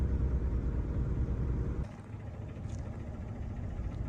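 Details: Car after a jump start, before throttle body cleaning: lumpy, uneven idle that sags and nearly stalls; carbon-clogged throttle body starving air at idle, owner first suspected the battery; rough idle from dirty throttle body.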